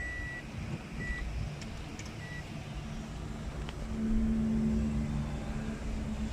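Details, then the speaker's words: 2019 Toyota Aqua hybrid with a starting problem and codes P0A94/P0ADC/P0E33. Fault was traced to a pin and the codes cleared. On restart, a few dash beeps, then it starts and settles into a steady, even idle: normal start. "ये आप देख सकते हैं गाड़ी हमारी start हो गई है अल्हम्दुलिल्लाह।"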